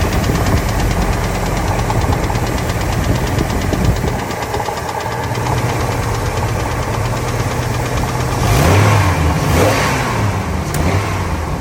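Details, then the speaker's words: Ford F250 V10 after new headers and injectors: light ticking over a steady idle, intermittent and much quieter than before, now louder on one side; oil pressure good; owner suspects lash adjuster/lifter or rocker arm, unconfirmed. "Well, ticking's a lot quieter. Compare that to the last video though, or the last time now it's louder on this side."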